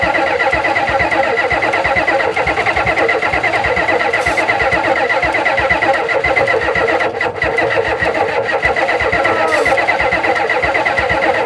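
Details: 1991 Ford F350 dually, 7.3 IDI diesel, unrun since 2010: long steady cranking that barely catches and never settles into a clean idle; sounds fuel-short. Owner suspects fuel delivery or low pressure and may fit a fuel pump; starter smoking; unconfirmed.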